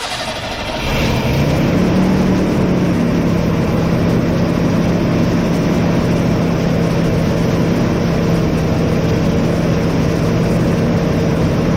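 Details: 1988 Chevrolet S10 Sport ZQ8 sitting since 1994, first start after new fuel pump, tank, sender, hoses, rebuilt throttle body, cap, rotor, plugs and wires: cranks briefly, catches and settles into steady even idle; runs normally.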